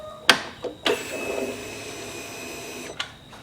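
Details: 2015 Harley-Davidson Ultra Limited Low Twin Cam, key on after an O-ring fix for oil puking: a click, then a steady high whir for about two seconds that stops cleanly with no fuel spraying. Normal fuel pump prime.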